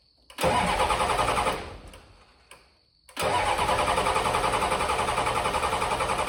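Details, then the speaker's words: 1986 Ford F150 with swapped 7.3L IDI diesel, crank no-start: even cranking about 3.5 beats a second without catching; injection pump solenoid voltage dropped from 12 to 8.5 V while cranking (shared wiring, weak batteries); fixed by rewiring and charging. "when I turned the key on I got 12 volts but when I cranked it it went down to 8 and 1/2 at the actual injection pump so I wasn't getting enough power to the solenoid to keep it open during cranking"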